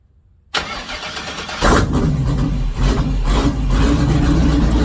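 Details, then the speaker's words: Ford Model A LS V8 swap, first runs after fixing a wiring harness flipped backwards: fires after a short crank, then lumpy, uneven, surging running that won't settle into steady idle; not idling unless key held in start. "So my wiring harness I flipped completely backwards. Yeah, that was fun. So it sounds like we have ourselves almost a running engine."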